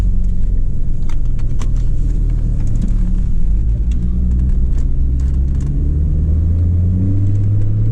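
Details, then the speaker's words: 2003 Chevy Trailblazer driving after acetone throttle body cleaning for rough idle and stalling: deep steady rumble from big aggressive tire tread, no rhythmic knocking; engine and transmission feel good, normal tire road noise. "hear that noise tires we got some pretty big tread on that feels good engine feels good transmission feels good"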